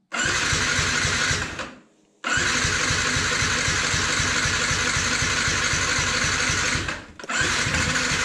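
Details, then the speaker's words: Yamaha MT 125 after crash, spark restored and plug refitted: steady rapid starter chugging, about four beats a second in two bursts, never firing; crank no-start until fuel was primed, then it ran. "huh does not run H well it runs now it needed a prime I don't know why but it needed one so it's running now"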